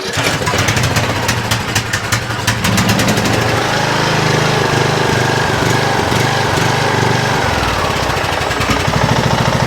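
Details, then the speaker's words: 2007 Craftsman LTS 2000 riding mower, original neglected engine, on jumper pack, choke worked by hand: uneven stumbling beat that never settles. Bottom-end knocking heard; head gasket or piston rings suspected. Rough running. "She's a little rough. She's a little rough. And uh I was trying to just work with the choke manually by hand over there, but it definitely sounds like there is some knocking going on in that bottom end."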